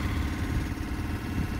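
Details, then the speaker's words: PBL Industries FP12 transfer pump on a Weekend Warrior LE3305 fuel station, after gear repair, pumping gasoline: low, even pumping drone with a slight rhythmic flutter and no grinding, then the timer shuts it off; running normally. "i mean it's a pump so it makes a bunch of noise and there it is it turned off"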